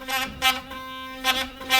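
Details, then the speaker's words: Philips Sonicare Protective Clean 4300 (HX6808) toothbrush after fixing its loose, noisy head with a spare part: clean steady buzz at constant pitch with a few brief rattles from handling; normal running. "And there we have it, all back to normal again."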